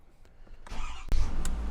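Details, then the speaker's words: 2020 Ford F450 6.7 Powerstroke diesel, just after fuel filter replacement and priming, gives a brief crank and fires right up into a steady low rumble; some air still squirting out at the back; normal quick start. "that's what you want fired right up no long cranks nothing crazy like that"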